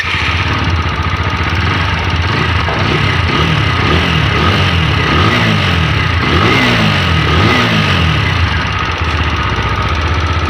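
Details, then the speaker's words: TVS Apache 4V BS6 at about 60,000 km idling after tappet adjustment; uneven idle with fast top-end ticking clatter about three a second, less than before; cam and rocker bearings broken, blamed on poor engine oil, needing replacement. "में अभी भी आवाज बनी हुई है है लेकिन पहले से कम हम आज पहले ज्यादा थी आवाज"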